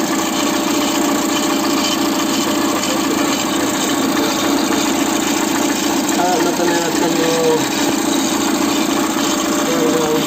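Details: Citroën C4 idling cold with timing cover off: a fast, uneven light chatter from the timing belt area, caused by a tensioner pulley oscillating heavily.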